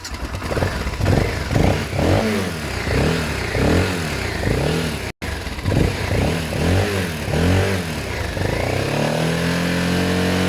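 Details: Motorcycle (BMW F650 Funduro or Kawasaki ZL600 Eliminator) after cleaning the coil wire, fired straight up: crisp revs climbing and falling evenly, no misses or pops, then steady idle; normal revving.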